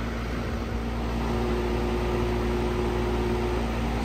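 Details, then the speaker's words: AC unit on a no-cool call, compressor not running: steady low electrical hum with the fan whooshing but no compressor run note, as the compressor tries and fails to start. Suspected bad dual run capacitor, probably the low hermetic (compressor) side. "so I don't know if you heard that hopefully you did but that usually means that the compressor is trying to start it's unable to and generally that's going to tell you that you have a bad run capacitor"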